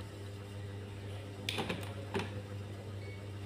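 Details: Refrigerator compressor start relay shaken by hand over a steady mains hum: two short loose rattling bursts, broken inside; overload also swollen, compressor not starting, fridge not cooling.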